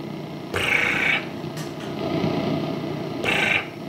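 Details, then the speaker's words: Peavey XR684 PA head during service, tested with a microphone: buzzy, fluttering upper tone cuts in and out over hiss, worse on channel one; owner suspects the dirty channel one pot, which needs cleaning. "I can hear that fluttering like that I wrote that's coming across on the camera"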